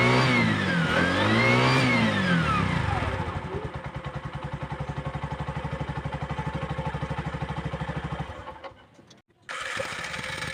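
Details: Bajaj single after carbon deposit cleaning and valve clearance set (intake 0.10 mm), previously hard starting and misfiring: catches with a couple of revs, then a steady, even idle with no misses; normal running.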